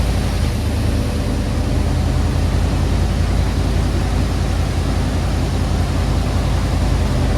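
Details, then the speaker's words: Chevy G20 4x4 camper van first fired up after exhaust welding repairs in several places: steady deep rumble with an even exhaust note, no ticking or puffing from joints; no exhaust leaks, sounds good. "Well, the main thing we wanted to do was to make sure there was no leaks in the exhaust, because there's several places that Ivan had to weld it up, and I think he did a good job on the first shot."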